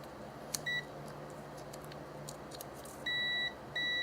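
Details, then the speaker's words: 1991 Dodge Dakota SE 5.2L V8 windshield wiper motor, removed and tested, blowing fuses; sharp steady multimeter continuity beeps between motor and case, which should never beep, showing a shorted armature grounding to body. "This should not be giving me a continuity beep. So somewhere in the motor itself we have a shorted armature. Therefore it's short to ground, shorts to body ground."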